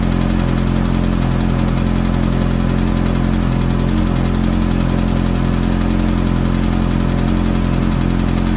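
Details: Ferrari F430 V8 after cold start: steady idle with a light, fast tick riding over it; ticking at cold start idle, source unclear.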